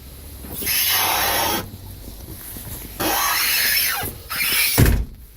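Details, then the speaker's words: 2004 Honda Odyssey, a little over 200,000 miles, with transmission issues: three drawn-out high-pitched squeals as the Magic Seat is pulled up by its handle after sliding it forward; dry squeak from the folding seat mechanism. "So if you need to put the seat up, you just slide them forward and then grab onto this handle. It does squeak a bit."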